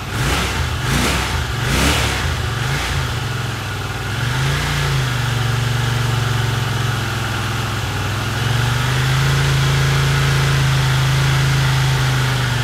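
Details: 1982 Honda CX500 twin, neglected for years, carbs cleaned and bench-synced with a welding rod: after a few blips settles to a low idle that sags and wavers, likely to stall; idle drops and dies, carb idle problem suspected, cause unknown.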